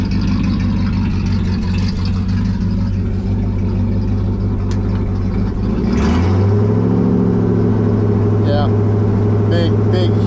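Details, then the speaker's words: 1974 Ford F100 Dentside 4x4 with 390 FE big block: deep, steady V8 burble at idle and a clean rev that rises and settles without stumbling; now runs as smooth as can be, owner returning to points ignition. "difference right there it's as smooth as it can be"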